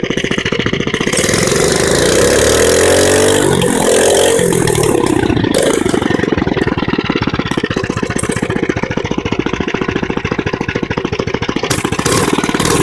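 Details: Mini bike single-cylinder engine revving: loud, raspy revs rising and falling then settling to fast harsh idle; owner says it recently got louder, cause unknown.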